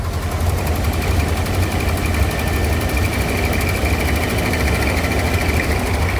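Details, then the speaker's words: Rolls-Royce Silver Shadow II V8, revived after years in a field, just started with a throttle dab: fast, light, regular ticking puff over the idle. The owner suspects an exhaust leak. "Okay, it started on the first dive on it again. It's a bit of um exhaust leak sounds coming."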